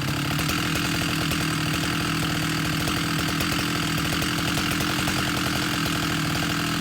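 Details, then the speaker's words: Husqvarna 371 chainsaw with an aftermarket Chinese cylinder, after fuel line and carburetor replacement, at high revs while tuning toward 13,500 rpm; steady high-pitched buzz with a faint burbling flutter, not a clean scream. Too rich out of the box. "But since this has an aftermarket Chinese fake cylinder on it, I didn't want to push it, so I set it for 13.5. And it was too rich out of the box"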